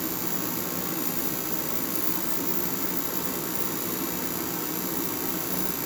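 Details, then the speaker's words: Craftsman 60,000 BTU forced-air propane heater running in a garage: loud constant roar of burner and fan with steady hiss, no surging, popping or rattle; running normally. "So it's been running for about 15 minutes and it's warmed up, I think, around 15 degrees. One thing that you'll notice is it's extremely loud."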